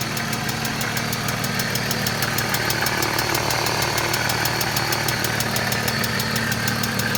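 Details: 1995 BMW E36 M3 S50 inline-six at idle: crisp, rapid, even ticking about three per second over the engine, lifter tick.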